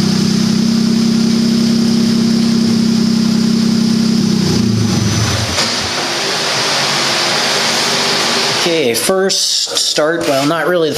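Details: Turbocharged buggy, ice-cold start after setting the fuel level lag factor to maximum smoothing (15): catches quickly and holds a steady, even idle note for several seconds; fires right up and idles better than ever before.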